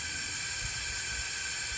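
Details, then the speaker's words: 2007 Freightliner Columbia with a Detroit Series 60, engine off, ignition on, air pressure above 100 psi. A continuous sharp hiss of air escapes from the fan clutch hub; the leaking hub is bad and needs replacing. "turn your ignition switch on do you all hear that air coming out of the air hub right now"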